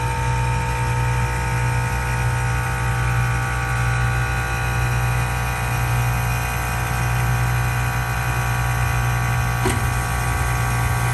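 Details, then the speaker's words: 2013 Tesla Model S whose problem began about 6 months ago and is worsening, now every 3–5 minutes: a droning, buzzy compressor charges for 20–30 s, then a burst of air whooshes out, repeating. Air suspension leak suspected at the T-connector fill valve. "working so it sounds like it's charging up you know the typical compressor rattling pump noise and then about 20-30 seconds it it reached the full pressure and then it it dispersed this whoosh kind of noise like a burst of air coming out um and it just keeps repeating that and it's getting more and more often"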